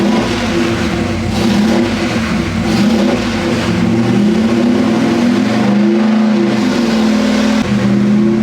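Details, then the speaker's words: 406 small block Chevy on engine dyno, pump gas, Jegs ported aluminum heads, stock cam, dual-plane intake, ATM carburetor; strong pull, pitch climbing smoothly, no misfire or stumble; pull felt a tad rich; normal. "We made that last pull and so I thought it was a tad rich."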